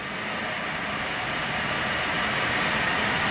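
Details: Truck raised with the right front wheel spinning free in gear: a smooth, even whoosh rising gently with wheel speed, no growl or rumble, a healthy bearing; the humming bearing was the left front.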